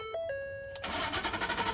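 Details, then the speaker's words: 2012 Ford F-150 FX4 crew cab that cranks but won't start, with no codes. A chime, then even starter pulses with no firing. Cause was a blown fuse 27 in the engine-compartment fuse box; owner had first suspected the fuel pump. Fixed by replacing the fuse. "that's what was causing it to crank but not start so that was my first source is to check the engine compartment"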